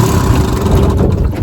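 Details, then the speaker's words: Restored 1957 Johnson 10 hp QD18 outboard with rebuilt carburetor and magneto, no kill switch, throttled down all the way on lake test: low, even burble that holds steady without stumbling or dying; healthy idle, motor likely has few hours. "I got her island down all the way, won't die. That's as low as it'll go, and it won't die."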